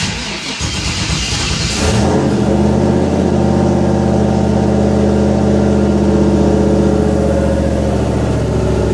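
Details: Ford Fairmont V8 on an MS3 Gold Box EFI, testing IAC and closed-loop idle control on a cold start, engine at about 61°F (noted as 50°F); starter whirr, then a steady, even idle. Normal cold start and idle.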